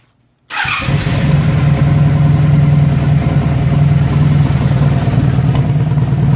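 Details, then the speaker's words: 1997 Honda Magna motorcycle after fabricated exhaust baffles (steel wool scouring pad plus fiberglass insulation in chain-link post pipe) replaced missing factory baffles; engine catches and settles into deep, even idle in neutral, no popping or rasp; normal idle, quieter (108 to 104 dB). "took this guy for a test drive and it's running really well now uh it's not obnoxious at all it's it's got a really nice sound to it when you uh are accelerating and it doesn't annoy the neighbors anymore"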